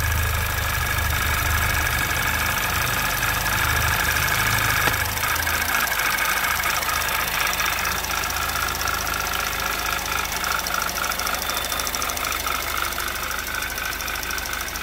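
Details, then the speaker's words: 2011 Audi TT Quattro 2.0T TFSI on its first run after engine-damage repair, chilly day, oil possibly slightly overfilled. Light ticking about three per second at idle; oil pressure 40–45 psi. Lifters are noisy, maybe still filling; unconfirmed. "Lifters are getting a little noisy. Not exactly sure why that is. It's getting oil."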